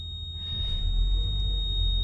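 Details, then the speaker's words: 2008 Toyota Camry Hybrid, ignition on, rock-hard brake pedal, ABS, brake and VSC lights, codes C1252 and C1256: steady high ringing chime that stays on over faint low rumble; brake fault warning from bad ABS accumulator not holding pressure. "we turn the ignition on I'll show you what happens that ringing sound just stays on"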